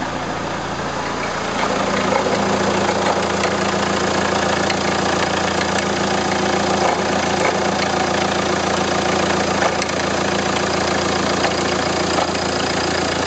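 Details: Renault Scénic I phase 2 1.9 dCi 105 diesel: steady idle with a faint irregular ticking at about three and a half per second; suspect engine noise, cause not pinned down. Abnormal engine noise at idle.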